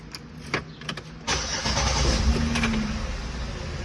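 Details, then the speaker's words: 2007 Saturn Aura 3.5-litre V6 with a crank-no-start fault, after fitting a new relay: a few light clicks, then a quick crank and the engine catches cleanly and settles into a steady, even idle, the fault fixed. "Car just started. Again. That's one of the problems fixed with this car."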